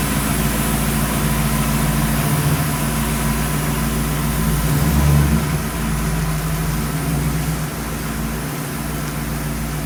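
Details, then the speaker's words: V8 on its maiden voyage around the yard after idle was brought down about 200 rpm: steady, even rumble rising and settling under light throttle, no stumbles or ticks; transmission shifted well, motor sounds good. "everything seems to run good transmission shifted well motor sounds good"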